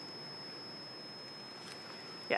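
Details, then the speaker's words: 35mm film camera, 21 shots in, while taking a shot: thin, steady, very high-pitched whine unchanged throughout, continuing even when switched off; cause unknown. "all right so bad news um i just went to take a shot and the camera is making this really high-pitched unpleasant noise i don't know if you can hear it"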